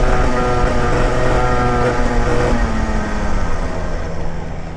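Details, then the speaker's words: Racing kart engine, recorded raw from the inside helmet camera after an earlier problem was thought fixed: the note sags and drops in pitch while the throttle stays open, losing power and dying again. "It's died. It died again. Huh? Again, it's died again."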